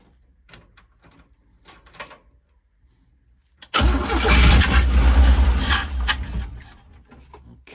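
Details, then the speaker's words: 1965 car parked for a while, weak battery being helped, first start with no choke: slow weak cranking clicks, then catches and roars unevenly before sagging; cold engine struggling until choke is added. "that was with no choke let's give it some choke oh yeah that should do it a little more juice"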